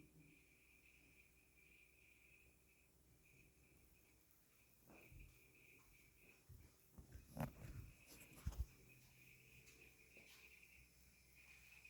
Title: New Blomberg Fridge makes chirping noise :( #blomberg #longeatonappliances